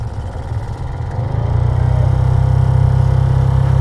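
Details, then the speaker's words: 2016 Honda HR-V cabin blower motor stuffed with rodent nest insulation, ticking, wobbly and very slow: a low rumbling whir that swells as the fan spins up, with a fluttering beat. Nest debris was fouling the blower, and the motor was replaced. "Oh yeah, just look. That's where all the noise comes from. And the speed is incredibly slow."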